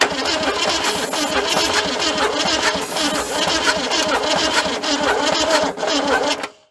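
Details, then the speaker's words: 1978 Ford Fairmont station wagon sat about 35 years, distributor reinstalled and timing being advanced: uneven, labouring crank with irregular chuffs and weak attempts to fire, fails to start; battery sounds weak. "we're probably going to have to go get another B thatting there it don't sound real good but let me give it a little more timing see what it does"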